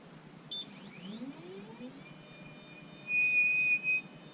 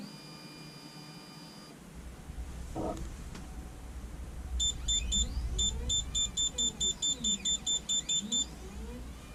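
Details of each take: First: Anycubic Photon Zero resin printer: short beep, rising motor whine, then steady high-pitched squeal as the Z-axis moves; lead screw nut squeal, fixed by flipping the leadscrew nut. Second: Anycubic Photon Zero resin printer after flipping the leadscrew nut: smooth stepper hum as Z-axis travels up and down, no squeal even when pushed, printer beeps; finding: normal quiet Z-axis travel after fix.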